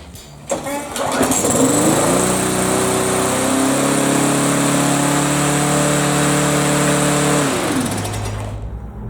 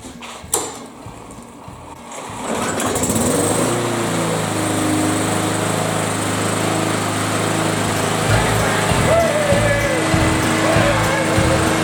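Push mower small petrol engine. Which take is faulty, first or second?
first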